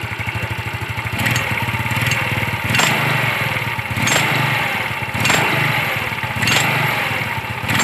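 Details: Yamaha Mio scooter: a metallic clatter (klotok) from the CVT housing rises with each throttle blip over the engine. It is quiet at idle and rattles only when revved, pointing to a CVT rattle.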